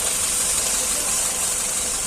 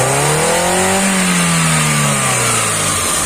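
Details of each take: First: Hyundai i10 CNG car after replacing spark plug and broken plug wire: steady, even idle with hissy top end, no misses or stumbles; misfire and poor pickup fixed. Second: Hyundai i10 with CNG fitting, low performance: engine revs up and drops with an uneven, lumpy one-cylinder misfire note; spark plug cable found broken.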